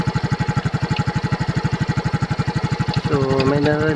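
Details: Flooded Yamaha carbureted scooter, warm after drying: steady single-cylinder idle thumping about four beats a second, a little uneven, with an odd noise heard; water had entered via wet air filter into fuel, oil change needed; cause unconfirmed.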